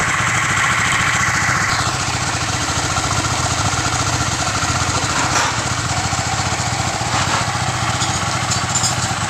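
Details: Honda Sonic 150 single-cylinder after top-end rebuild fixing noisy valve area (badly uneven valve clearances) and custom crankshaft balancer: even putter about three beats a second, no valve tick, oil pressure good; smooth, healthy.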